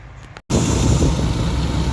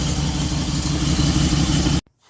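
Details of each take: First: Dodge Durango 4.7L SOHC V8 after the shredded serpentine belt was replaced and a new alternator and battery fitted: it starts and settles into a steady rumble with no squeal; the belt drive is normal. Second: 2006 Dodge Durango 4x4 running after a repair: loud, rough slapping roar with a thin squeal as the serpentine belt shreds and climbs off an upper pulley.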